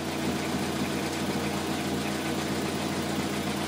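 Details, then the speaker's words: 2003 Toyota Corolla after repair of an intermittent P0301 misfire with power loss caused by a bad injector: smooth, even four-cylinder idle with no skips or stumbles; all cylinders firing normally. "I think it's already fixed. Look at, it sounds better, it runs better now."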